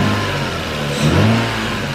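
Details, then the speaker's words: 2002 Lexus IS300 still warming up, after new spark plugs and throttle cable adjustment; revs climb briefly then fall straight back to steady idle without hanging, previously hung; normal rev return, issue apparently fixed. "you can hear how it's coming down now but before when I was revving it it wasn't I think we're good I think the issue is fixed"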